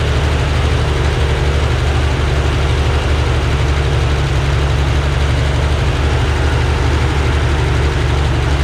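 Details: Freshly rebuilt air-cooled Corvair six on a test stand outdoors, being checked for oil pressure and carburetor synchronization: deep, steady rumble with an even idle and no knocks or rattles; running smoothly.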